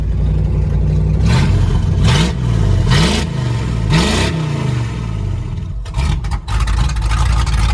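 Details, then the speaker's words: 1997 Ford F-250 5.8 V8 revived after sitting for years, no oil pressure reading (hopefully just the gauge): very loud, deep V8 snapping through quick clean revs on straight pipes, sounding like it has a cam; healthy revving, straight-pipe exhaust. "God damn, that sounds good. You know, that sounded like it had an actual cam. That's awesome. Holy crap, it is loud though."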